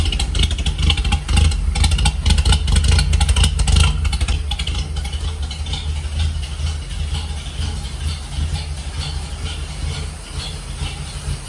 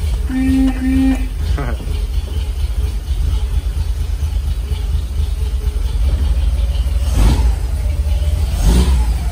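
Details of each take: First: 1946 Dodge pickup barn find, old six after regapping bad, loose points and a new condenser. On choke, no coolant: low steady even running, no knocks or misses, settling quieter after a few seconds. Healthy idle. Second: 1946 Dodge pickup barn find, running after the points were gapped and the condenser replaced, with no coolant in it. A deep, smooth, steady rumble, but the idle sits too high and needs turning down.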